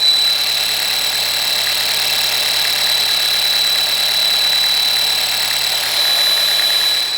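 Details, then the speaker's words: Audi A4 PCV (crankcase ventilation) air pressure diaphragm at idle: steady high-pitched squeak/whistle with airy whoosh over faint idle; noise caused by the failing diaphragm, which replacing it should fix. "now the issue is right here uh this noise is caused from this diaphragm making a lot of noise so by replacing this component uh you should be able to fix the problem uh with this uh particular noise"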